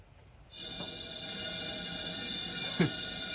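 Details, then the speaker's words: 1963 C10 with Stovebolt straight-six, hot engine, leak-down test on cylinder 4 at 60 psi: air hisses steadily and blows right through; tone changes when the intake is covered, so intake valve leaking. "I think number 4 is an intake valve, because when I do this, I don't know if you can hear that, but it changes tone when I put my hand over the intake. So I'm pretty sure it's an intake valve that's leaking."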